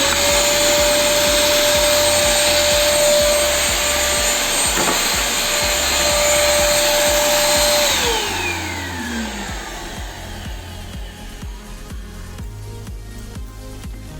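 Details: Electrolux Neo 10 1200 W compact vacuum on 127 V, still without filter, after fixing a poor contact that stopped it switching on: steady high whine with even airflow rush, then smooth pitch slide as the motor spins down; runs normally.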